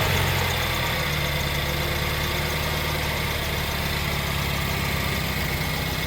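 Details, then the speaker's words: Rebuilt BMW N43 engine in a 320i E92, first start after months of rebuilding and fault-finding; smooth, even idle with steady low hum, no knocks or ticks, ticking over nice and steady as it should. "There you have it, nice and steady as it should be, ticking over."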